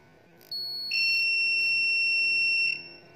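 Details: Sunshine 30 A short killer supply used for mobile-phone board repair: one steady, high-pitched beep lasting about two seconds over a quiet background, signalling that the shorted line has cleared.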